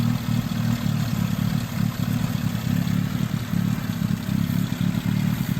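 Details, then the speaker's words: Petrol engine idles low and rough with a wavering beat from a vacuum leak letting in unmetered air; a leaking vacuum line was broken and needs to be ordered, and brake cleaner is used to locate the leak. "This is my problem. I have to order. So my engine right now, you could tell is rough."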